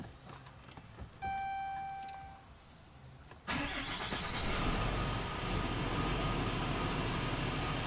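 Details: 2010 Dodge Cummins diesel with a G56 transmission, first start after a Valair dual-disc clutch install, clutch pressed before starting. Short chime, then the starter catches into a steady diesel idle with no clank or bang: normal start and idle.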